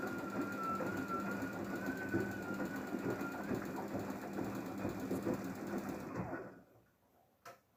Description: DAEWOO DWD-FT1013 washing machine rinse with squeak noise